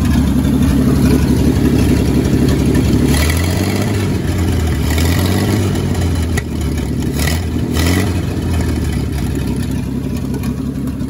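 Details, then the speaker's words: 1952 Dodge M37 3/4-ton military 4x4, first start after sitting over ten years, oil just changed with an additive, still smoking: old six runs and revs with a slightly uneven, stumbling beat; mild miss, owner suspects carburetor or stuck valves. "it's got a bit of a miss to it so probably got to go through the carburetor"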